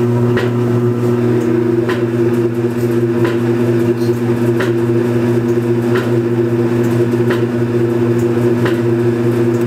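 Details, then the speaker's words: Belt-driven Kenmore Series 80 washing machine from about 1987, on spin cycle: steady motor hum with a sharp, evenly spaced knock about every 1.3 seconds. About a quart of water also leaks per cycle. Cause unknown; wig-wag control magnet was replaced months earlier. "the washing machine has a problem when it's on the spin cycle there's a knocking noise and it occurs every couple seconds"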